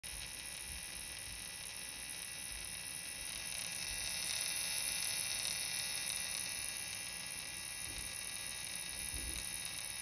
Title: Heat sink making loud noise